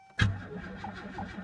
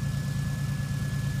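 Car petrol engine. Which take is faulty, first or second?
second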